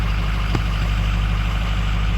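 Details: Ford 6.0 Powerstroke diesel with hot no-start issue, after reinstalling oil rails torqued to Ford procedure, dummy plugs and stand pipes: smooth steady idle while warming up, no knocks, misses or surges.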